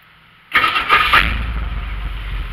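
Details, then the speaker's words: Ford Ranchero, 351 Windsor 5.8L V8 with Holley 2300 two-barrel and FMX automatic, cold start: short crank then sharp bump as it catches into a lumpy idle; owner blames the flywheel and plans replacing it. "that that bump you heard there that when I started it that's actually my flywheel I'm going to have to replace my fly loop"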